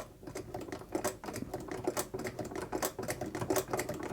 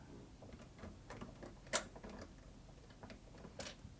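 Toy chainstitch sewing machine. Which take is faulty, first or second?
second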